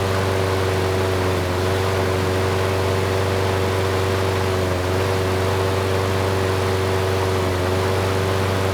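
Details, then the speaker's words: Craftsman lawn mower (model 917.374541, engine 128T02-1270-B1), after freeing a sticking auto choke: steady, even single-cylinder drone with no surging, occasional slight stutter; running well, normal. "thank you that was much better the choke sounds like it is turning off now the engine is running well there is a slight stutter every once in a while so that could be something that needs to be looked into but not too worried about it for now"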